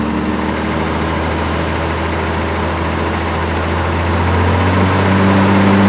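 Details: Toyota Supra with a swapped 1JZ-GTE of unknown miles, a week after the swap: deep idle with a regular low knock rising with revs. Owner suspects a weak original oil pump giving low start-up oil pressure, oil never low; rod knock.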